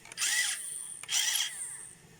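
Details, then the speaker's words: Radio-controlled toy car small DC motor after resoldering detached wires: two crisp high-pitched half-second whirring bursts, smooth and steady; spins freely, normal run. "Ну все, вот прям видно, слышно. Все, работает."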